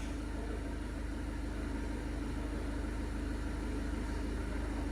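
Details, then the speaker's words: Seat Leon 1.6 TDI after a further repair to fix shaking from an injector correction that had read +180: low, even diesel clatter with no misses or shakes; a smooth, healthy idle. "okay no shaking noise looking good looking good"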